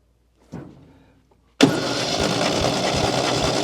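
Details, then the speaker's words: Long-dormant 1971 MGB engine, spark tester on plug wire: starter churns steadily a couple of seconds, never catches; no spark, no-start, no power to coil, points need cleaning. "And we got nothing, which means now we got to start going back and try to, say, clean the points and do the back checking to make sure we got voltage to the coil and go from there."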